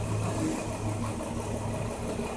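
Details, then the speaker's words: 2005 Nissan Murano, misfire with no check-engine light: idle turns uneven and lumpy when scanner disables injector number 2, showing that cylinder fires properly; injector cut-out test to find the faulty cylinder. "vamos a desactivar el sí mismo en el lector podemos escuchar que el motor cambio el sonido"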